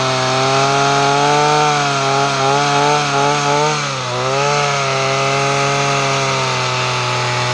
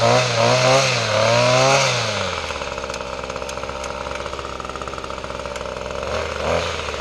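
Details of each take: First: Two-stroke weed trimmer, after fuel-system repair and newly installed parts, choke off: high buzzing tone holding mostly steady with slight wavering, then dropping as it slows; running acceptably, may need a tune-up. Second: Weed trimmer after fuel system repair and new parts, choke off, throttle swept: revs then drops to idle with light regular tick about four times a second over the buzz; clicking noted, cause unknown, may need tuning.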